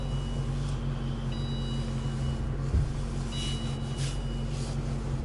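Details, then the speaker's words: Patrick started in frost at about minus 15 °C, power steering fluid changed to Mobil 1, wheel turned: low steady engine hum with no whine; the power steering pump, which used to howl below -5 °C, now runs quietly. "крутишь руль ничего не шумит"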